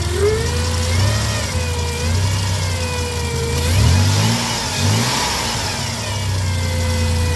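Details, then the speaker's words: 2006 Chrysler Town & Country van engine running with a clear high whine rising and falling with revs, plus some clicking with AC on; alternator whine, alternator replaced. "all right so have a listen to the alternator whine"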